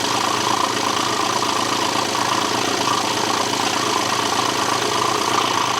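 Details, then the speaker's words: BMW being repaired for a low oil pressure warning, run with the crankshaft pulley, drive belt and intake pipe off: steady idle with a faint, slightly irregular ticking and rough clatter. It sounds funky, likely partly from the missing parts; no oil pressure warning on the dash. "Well, I mean, it sounds a bit funky. probably partly because there's no crankshaft pulley on and there's no intake pipe or anything,"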